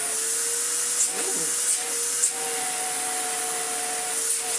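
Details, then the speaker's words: Electrolux Z1910 self-propelled vacuum, a broken project being revived, whose single wheel is not self-propelling: steady, even motor hum with constant high whine, no surging or rubbing; motor runs okay. "Oh, it runs okay, doesn't it? Yeah."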